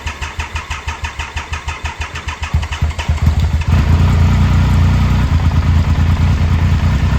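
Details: 2000 Triumph Sprint ST 955 engine, a salvage bike stored mostly in a barn, at its first start in 24 years. Steady cranking at about three pulses a second, then it catches and settles into a strong, even idle with no misses.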